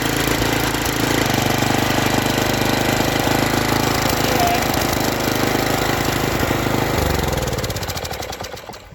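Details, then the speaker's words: Briggs & Stratton tiller, possibly 5 hp, revived after being flooded and seized, with a stuck valve freed: steady, even popping beat, then winds down at shutoff; runs healthy. "I think it turned out pretty darn good myself. Didn't take much work to get going, and works well. Sounds good."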